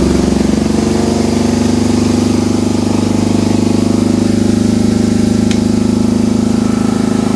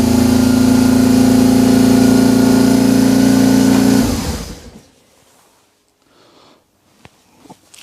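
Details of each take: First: BMW R1150 GS started cold after hall effect sensor wiring and harness repair: steady, even firing at a quick idle, no misses or knocks, running cleanly; revs hang from a suspected stuck accelerator cable; normal running engine. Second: BMW R 1150 GS twin, cold start after wiring harness and Hall effect sensor wiring repair: steady, evenly held high idle for four seconds, then cut off; owner concludes a stuck accelerator cable is holding the throttle open; high idle.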